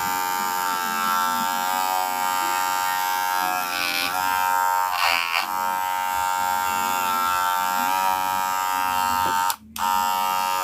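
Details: Wahl Senior clipper: loud, steady, harsh buzz with a rattly edge that never settles; abnormal blade noise, owner suspects the blade is worn and needs replacing.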